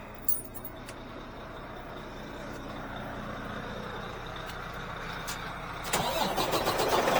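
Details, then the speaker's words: Truck just collected from Freightliner after repairs including head gasket: steady cranking at about four beats per second, then it catches and rises to an even, healthy run; normal start-up. "There go the start up."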